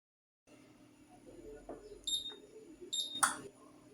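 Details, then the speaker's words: Siemens induction hob after repair (faulty capacitor replaced, fresh thermal paste on the NTC sensor), testing the remaining zones: two short high beeps, then a crisp relay click as the burner engages; working normally, water heating and steaming. "también se escucha relé probaremos el último fogón y no sé si apreciáis el vapor que va saliendo del agua."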